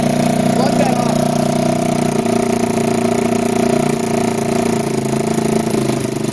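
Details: 1987 Kawasaki Mojave 250 ATV, neglected after long sitting, second start after tightening the exhaust manifold: single cylinder races at a fast, steady idle with a raspy edge; it stays high because the choke is missing and its port is plugged with a small orange plug.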